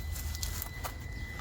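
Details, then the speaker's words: Traxxas TRX4M RC crawler after budget upgrades, thin steady high ESC whine while creeping at low throttle on rocks; poor slow-speed control, owner suspects fitting bearings would help. Cause not confirmed. "you can hear that esc's just whining it's just still not great is it"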